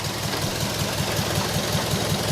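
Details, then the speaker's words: Mazda3 petrol engine at idle with an obvious misfire, a dull repeating stumble, caused by a loose stud letting an ignition coil drop; engine misfire at idle. "all right so right there you can hear the misfire happening it's very very obvious"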